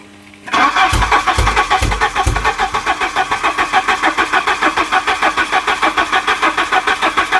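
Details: Volvo 740 petrol, unstarted for about 20 years, fresh super unleaded added and fuel pump now running: starter churns steadily at about three compression beats a second for several seconds, never catches; crank-no-start. Owner later suspects a stuck injector flooding a cylinder.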